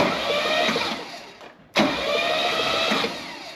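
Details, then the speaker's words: 1966 Mercedes 230SL, Euro-spec, off the road 40 years, cranked by jumping the solenoid on a newly fitted starter: steady, even whirring crank, a short pause, then it spins again smoothly with no grinding or clunks. "Kind of nervous. Absolutely no problem. Look how smooth it is, too."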